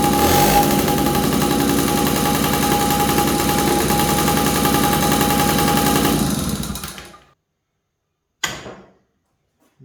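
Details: 1983 Honda QR50, unrestored 49cc oil-injected two-stroke single; owner suspects a nudged part gave extra airflow: fires with rapid even buzz for several seconds, then dies; cause of earlier trouble unconfirmed.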